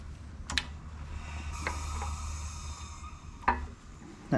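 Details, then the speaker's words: Jeep WJ Grand Cherokee 4.7L V8 being torn down for a rebuild, crank turned slowly by hand: sharp metallic clunks about every second from a connecting rod with no bearing left. "noise that's the bearing that's the cornrow that's got no bearing left in it"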